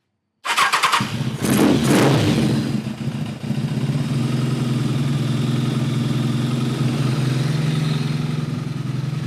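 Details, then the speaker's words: Kawasaki ZRX-1200 with Keihin CVK carbs cleaned of packed ethanol deposits: catches after a few cranks into an uneven, loping, stumbling idle; cylinders 2 and 3 seemed not to fire; diagnosed as a lean carb jetting issue. "All right, folks, so this is definitely a jetting issue."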